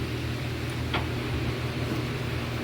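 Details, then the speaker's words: Husqvarna LR125 riding tractor: single clicks about once a second with no cranking; the clicking is the fuel cut-off solenoid while the starter solenoid does nothing, suspected bad, though the battery turned out uncharged; solenoid clicks, no crank. "It's not It's not cranking now. The solenoid is clicking the That is I say the solenoid, I mean the little um fuel cut off solenoid."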